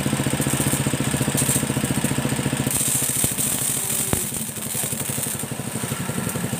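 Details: Motorcycle-washing pressure washer (steam cleaner) after spare-part replacement, repaired for a weak, low-pressure water jet: strong, steady pulsing hum at three to four beats a second with even pressure, no knocks or rattles; pump running healthy.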